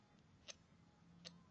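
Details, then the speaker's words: Bench test of homemade TL494-based MSD ignition on 12 V battery, negative trigger, duty cycle set high: crisp snaps about 0.75 s apart as the spark plug fires multiple times; ignition working. "you can hear something firing, which is this spark plug. I don't know whether you can see the video, but it's actually firing multiple times."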